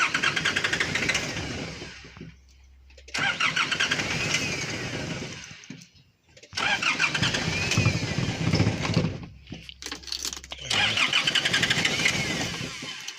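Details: 2009 Nissan Navara diesel with loss of power and erratic shaking, check-engine light off, still faulty after a flush and filter changes. Three rough start-up bursts with a lumpy beat around 200 per minute; stuck injectors diagnosed.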